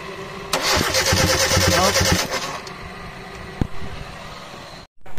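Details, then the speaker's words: 2010 Kia Rio manual, unused over two months, new battery, fuel hose dry and rusty: starter cranks evenly and quickly about two seconds but never catches; no fuel delivery, fuel pump relay swapped, fuel pump suspected faulty. "Mga sir dahil walang gasolinang lumalabas pinagpalit muna natin ng relay ng fuel pump"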